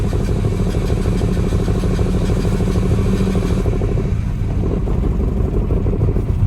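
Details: Chevy S10 with hard starting, fuel pressure only 41–47 psi from a weak pump, recently replaced injectors: deep lumpy note wavering and sagging as throttle is feathered, barely staying running; suspected bad pump and injectors.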